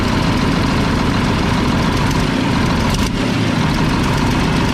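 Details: About 1995 Mack tank truck diesel, 122,000 on the odometer, turbocharged, after bleeding injector lines: rough idle with uneven, lumpy beat and dropped pulses; one cylinder missing, likely from a loose pump delivery valve; exhaust leak also present.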